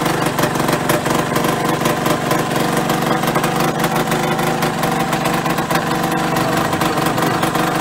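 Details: Yamaha RD125LC two-stroke, first run after standing 17 years (engine had seized when parked): busy, crackly note holding a steady fast idle with no knocks or misfires; runs fine, oil light was on.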